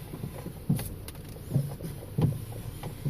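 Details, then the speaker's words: 2010 VW CC front end after B&G S2 sport spring install, new strut bearings: dull clunking/popping thumps from the front when the steering wheel is turned, worsening over days since install; cause suspected springs, not confirmed. "when I put them in I noticed there was a little bit of noise in the front that wasn't there before um hell after a couple days it started getting worse"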